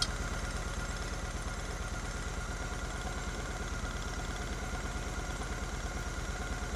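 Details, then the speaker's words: Twin-carb Honda Shadow VT750 V-twin idling after the carb sync, restarted after snapping the throttle; both readings are spot on, well within Honda's parameter. An even, loping idle at about three pulses a second with no misses: normal idle. "what Honda once is them within a parameter and this is Way Beyond the parameter so that is running great"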